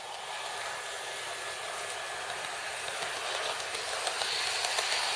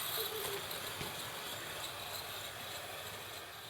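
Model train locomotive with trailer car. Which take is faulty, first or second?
second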